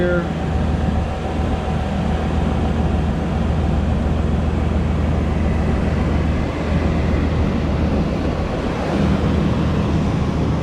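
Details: Even, steady low idle rumble with no knocks, squeals or grinding from an 88–98 Chevrolet Silverado 5.7 L V8 warming up after a water pump replacement. The pump was replaced for a coolant drip; no leaks after the repair, and temperature was fine.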